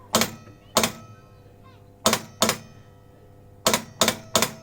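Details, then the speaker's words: Elvis pinball machine in coil test: sharp uneven clacks, about eight in five seconds, from the control gate coil under Heartbreak Hotel; spring moves, blue suede shoes gate reported not lifting. Cause suspected in the underside mechanism, not confirmed. "think I see the gaint going up I see the spring moving"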